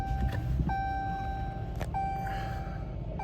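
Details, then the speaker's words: 2017 Chrysler 300S, 3.6L Pentastar, just after spark plug change, cold start: quiet steady rumble at about 1500 rpm cold fast idle with electronic chimes, no check engine light; normal, rpm expected to drop below 1000 when warm. "Donc là, j'étais à 1500, mais la voiture est froide. C'est normal."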